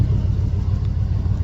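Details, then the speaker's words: Small-block Chevy truck after swapping an Edelbrock for a Holley carb taken off a 355, idle set by ear with no tach: low, steady rumble with even pulses, no knocks or misses; smooth healthy idle, better than before. "messing with the RPM idle. It ain't got a RPM gauge, but it sounds pretty good, though."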